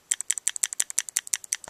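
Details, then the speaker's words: Etek 2 paintball marker with newly installed OLED Virtue board, battery low, eyes off, semi mode, dry firing: sharp crisp evenly spaced clicks about eleven a second; solenoid cycling properly. "i'm in semi mode you can hear the gun clicking away"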